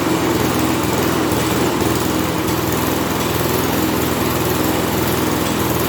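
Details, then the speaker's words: Toro push mower with Kohler XT675 engine, loose engine with possibly sheared mount bolts, auto choke not working: buzzes at steady speed with an uneven, lumpy beat and shaking; owner plans to pull the carburetor. Rough running. "hey no i don't like that that thing's running rough pull that engine pull that carburetor"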